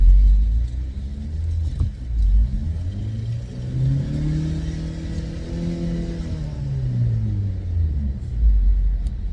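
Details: 2008 Opel Zafira B 1.8 petrol, front wheels raised and spun in gear, traction control interfering: low hum rising and falling with wheel speed, heard on right side only, felt in steering wheel; worn front right hub bearing.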